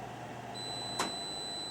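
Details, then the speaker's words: Klarity AirFlow Oven being switched off by holding the start-stop button: a soft fan hum, then a two-tone ding and a fainter later one as the fan stops. This is a normal shutdown. "You'll hear it ding, and the fan will turn off, and you're all set."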